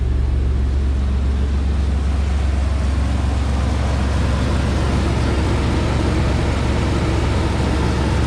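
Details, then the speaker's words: Smooth, even idle rumble with no skips, shakes or misses on an S10 Blazer after fixing the spider injection and fitting injectors to the correct cylinders; no misfires, no check engine light. "Running very smooth, no vibration, no misfires on the check engine soon light."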